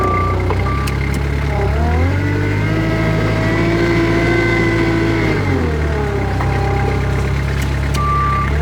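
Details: Kubota 520 hydrostatic wheel loader after swapping the forward and reverse relief valves (the forward one was found loose): diesel drones and firms up under load with the reverse alarm. Reverse drives responsively, and forward now hits relief.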